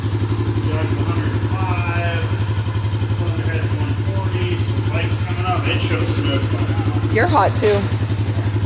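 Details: Suzuki Vinson 500 quad, hot, after a new gasket and new oil: a steady, even thump with no knock or rattle. No smoke, and it sounds better than the very noisy engine before.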